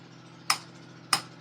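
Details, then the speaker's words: Maruti Swift AC compressor after clutch repair, with extra washer fitted: three sharp crisp ticks about half a second apart over a quiet hum as the compressor clutch pulls in and releases cleanly, normal operation. "Up down कर रहा है। हाँ, ये जो up down कर रहा है दोस्तों, टक टक की आवाज़।"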